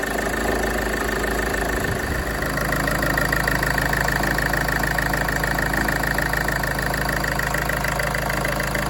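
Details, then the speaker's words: Land Rover Freelander 2 at idle: light, quick plastic-sounding tapping from the right-hand side of the engine, keeping pace with the engine; alternator freewheel pulley found seized. "So, this time I've got a a new noise around here somewhere. It's like a plastic um tapping noise. I believe it might be the alternator pulley. Might be on its way out."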